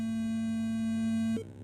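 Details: ProConn fruit machine board with test ROM on a PC90/PC92 board: steady mid-pitched tone over a second then a short higher chirp; board test signal working as expected.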